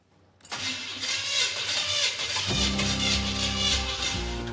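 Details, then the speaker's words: Model A hot rod engine on first start, timing fully advanced: catches and runs ragged and uneven with popping through the intake, partly under music; backfiring from sticking valves, with a compression test and valve cover removal following. "Okay, the ignition is on. I'm ready for backfire."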